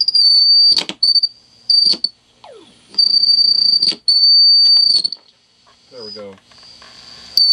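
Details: 1940s Standard Business Machines model 160 Magnescriber Deluxe wire recorder during a dynamic-microphone recording test: steady high whistle cutting in and out in about one-second bursts, the amplifier oscillating intermittently. Owner suspects a bad solder joint.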